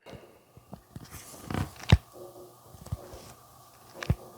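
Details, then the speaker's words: Vivo X Fold 5 foldable phone after three months' use, folded and unfolded right over the microphone: a few faint, irregular crackles and clicks from the hinge, cause unknown, no beach or dust exposure; hinge crackling. "You can hear it right there. Um, it has some crackling right in the hinge. So, I don't know what's going on there."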